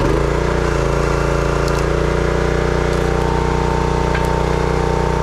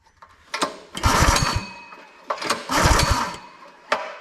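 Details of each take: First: Brute 30-ton log splitter, Briggs & Stratton engine (9.5 ft-lb gross torque, roughly 5-6 hp), after no-start repair: steady even drone pulling down slightly under splitting load and recovering cleanly; runs smooth and healthy. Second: Brute 30-ton log splitter, Briggs & Stratton engine (roughly 5–6 hp), customer says won't start: two recoil pulls, short whirring cranking bursts with no firing; no spark, which returns when the kill-switch wire is wiggled, suspected short in that wire.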